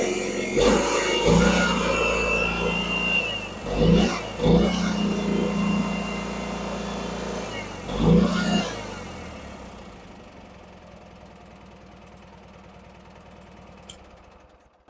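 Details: Garden tractor with a Kohler Twin Series 2 engine, recently restored and serviced, on a cold start with a little smoke: even low beat and a few throttle blips before winding down, no knock or miss. Normal cold start and idle.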